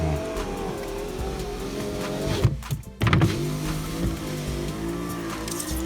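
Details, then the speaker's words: VAZ (Lada) window with old cleaned felt channel refitted after new ones didn't fit: thin squeak over the window motor hum as the glass travels; worn window seal still squeaks and needs replacing. "Все равно чуть-чуть звуки есть. Надо менять. Все-таки надо менять."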